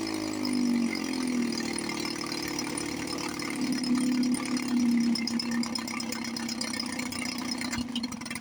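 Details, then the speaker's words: 1954 Johnson 5.5 HP two-stroke outboard after full restoration (cylinder head, water pump and housing, carburetor packings, linkage, pull starter, shift slop fixed). Smooth, steady buzz at an even pitch, no misses, knocks or hunting. Normal running, until it ran out of gas. "Water pump's pumping nice. Love it."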